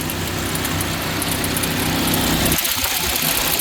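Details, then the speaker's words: 2009 Chevrolet HHR, engine cold; whooshing, fan-like rush that changes then fades; owner unsure if it comes from the fan or the taped, ripped air intake duct; intermittent fan-like noise at cold start. "but then I hear it over here but it's it sounds like something's in the fan but then it kind of goes away"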